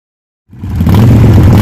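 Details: Harley Sportster starting after fuel pump and fuel filter replacement and tank refit: the engine catches at once and settles into a strong, steady low rumble with no misfire; it starts and runs cleanly.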